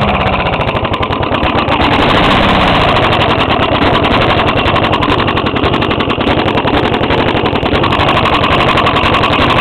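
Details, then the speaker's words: Five-year-old 4hp Briggs small engine running: loud, rough, uneven rapid knocking about 220 a minute; owner suspects rod knock as it is hard to pull; hole in carburetor intake tube spitting gas. "think this got a rod knock actually cuz see it's really hard to pull it right now"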